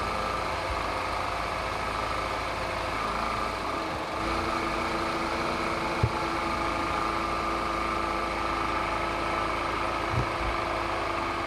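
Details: Peugeot 207cc EP6 engine after a slipped timing chain and resetting the timing, running outdoors: smooth, steady idle with an even faint hum and no ticking or knocking, only a couple of stray bumps; healthy.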